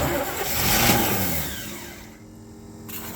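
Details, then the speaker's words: 1972 Chevy C10 with a 350 V8, sat in a barn 30 years, restarted cold at 29°F after running out of gas: turns over briefly, fires almost at once, settles to a quiet even idle with no stumble; ran so good. "Man, this thing ran so good."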